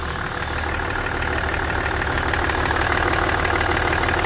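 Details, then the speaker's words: Range Rover Sport L320 3.0 V6 twin-turbo diesel (306DT) after burst inlet manifold replaced for intermittent restricted performance (P1247/P006A), running a minute or two: steady, even diesel idle, no misses or stumbles, nothing blown off; normal idle. "So, why? Yeah, she sounds good. Nothing's blown off it."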